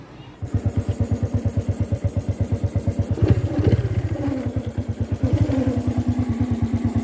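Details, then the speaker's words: Honda Wave 110i motorcycle idling lumpily with a wavering howl and vibration. The headlight won't light at idle and the battery doesn't charge; the cause is a shorted stator charging coil. "จะประมาณนี้ครับจะหอนแบบนี้นะครับแล้วก็สั่งนะครับ"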